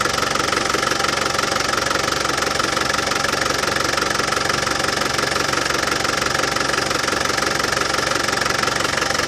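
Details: Land Rover Defender 200TDi diesel at warm idle after fitting a new power steering pump and bleeding the system: even clatter around 200 beats a minute, with no pump rattle left; healthy.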